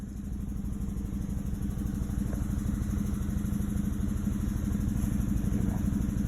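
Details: Chevrolet Malibu idling with uneven, lumpy stumbling rumble, P0300 misfire on cylinders 2 and 3; compression passed at 180 psi; replacing the coil pack fixed it.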